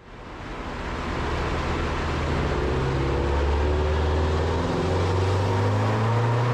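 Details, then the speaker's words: 2008-on Subaru STI (GR/VA) after a stumble fix: engine pulls cleanly with a smooth, steadily rising note, and there is no hesitation or GR stumble approaching 3000 rpm; normal acceleration. "and we're just gonna see that everything is all happy normally you can really kind of feel and hear that gr stumble as you approach 3000 but the the car as you just saw it didn't like nose over or anything"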